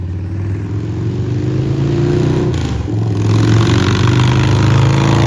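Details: 2003 Victory Vegas 92ci/1507cc V-twin with slip-on mufflers removed, after warming up: deep, loud, raw unmuffled rumble rising and falling as it's revved; definitely loud.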